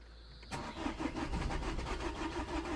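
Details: 2008 Vauxhall Corsa 1.3 CDTi (Z13DTH) with an intermittent no-start and no codes: the starter cranks with an even chug for over two seconds, but the engine never fires. Rail pressure reaches the requested 37 MPa, though the battery is getting low.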